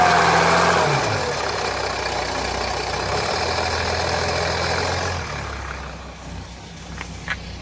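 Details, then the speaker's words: 2007 Jeep Grand Cherokee 3.0 CRD diesel warming at idle after about 5 minutes, heard from underneath: quick regular rattle, about four per second, over the clatter. Oil pressure light comes on at idle and goes off when revved, with oil level correct. Owner suspects a loose oil pump chain. "Rattle is still there. Been idling now about 5 minutes, just starting the temperature gauge through."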